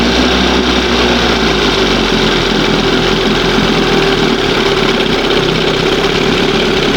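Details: 20 hp Johnson outboard two-stroke, started with brake-clean spray, running with a loud buzz, steady but rough and uneven; mixture not settled, it responds oddly to the needle, set about 1½ turns out, being moved toward one full turn.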